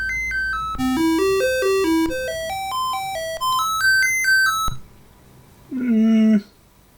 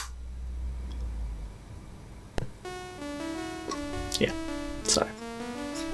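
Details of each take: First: Commodore 64 running its sound test plays stepping beeps and two pitch sweeps, but the tune sounds thin with a voice missing. A faulty SID chip is suspected, and game music also cuts out. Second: Commodore 64 with its SID sound chip swapped in from another breadbin C64: a bright chiptune melody with clean, stable notes and crisp drum hits. The sound chip output is normal.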